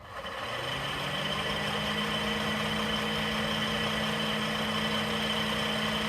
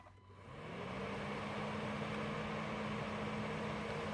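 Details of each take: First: 2010 Honda Accord V6 (8th gen), near 100K miles: A/C condenser fan spins up to a steady droning hum with coarse whir; blade has play, owner suspects bad bearing or bushing; fan replaced. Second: 2010 Honda Accord V6 (8th gen, near 100K miles) A/C condenser fan after replacement: spins up within a second to a smooth, even whoosh with steady low tone, no bearing growl or rattle; old fan suspected of a bad bearing/bushing.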